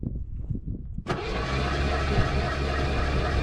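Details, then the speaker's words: Ford F-150, lost drive while romping in four-wheel drive as if shifted into neutral, now won't start: a few clunks, then the starter whirs freely without turning the engine over. Owner suspects torque converter bolts or flex plate came off; unconfirmed. "so because to me it almost sounds like this starter is trying to engage but it's not there's nothing left to engage there anymore"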